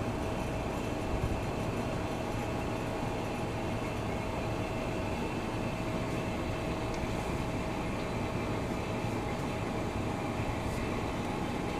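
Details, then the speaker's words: Old GE Monitor Top CK-2-C16 refrigerator in rough, rusty shape, first power-up: compressor runs with a steady rough hum and constant midrange tone, no heat felt, smell noticed, leak suspected; unhealthy-sounding compressor, cause unknown. "Doesn't sound very healthy. Well, at least I know the compressor runs."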